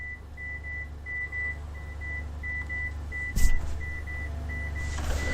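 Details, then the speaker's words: AALogic cable fault locator on an aerial resistive fault: a pulsed high beep around two kilohertz over a low hum, rising and falling as the hand coil moves along the cable and passes the fault. "as we move the hand coil closer to the fault we're still seeing that we have the rises and falls when we move into the faulted area and pass the fault"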